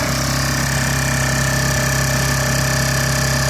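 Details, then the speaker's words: Honda EU1000i generator, still slightly warm, after a Seafoam treatment: a steady, even hum at constant pitch with no surging or misses. It now runs smoothly, with just a little smoke still coming out. "It runs so nice and smooth now."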